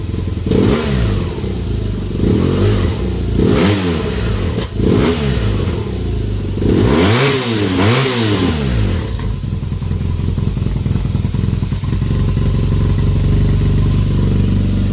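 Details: BMW R1200GSA after exhaust flappy valve removal (de-restricted): several sharp throttle blips from idle, a deep open bark rising and falling cleanly with no knocks or rattles; engine sounds healthy.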